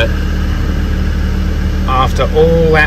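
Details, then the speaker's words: Land Rover Defender five-cylinder diesel, after fixing a no-start apparently traced to an isolator not giving a good ground: steady, even idle with a low smooth beat and no knocks, misses or rattles; running healthy. "hassle appears to be that isolator which is Diggy not giving it a good ground what a result"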